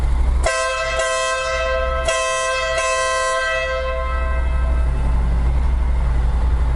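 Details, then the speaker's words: Newly installed Denali SoundBomb horn on a Honda NM4 motorcycle, wired with the plug-and-play harness, sounded inside the garage: four short, loud, clean two-tone blasts over engine idle; horn working properly. "Okay, I finally got my Denali sound bomb horn wired up. Took me a while."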